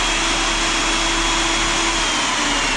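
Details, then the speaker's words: Hougen mag drill with a 3/4 Hougen-style bit, unloaded: a steady, even high-pitched motor whir with a faint constant tone, sounding like a vacuum cleaner, with no knocks or grinding; running healthy. "And I'm going to go ahead and start it up. So sounds like a vacuum cleaner."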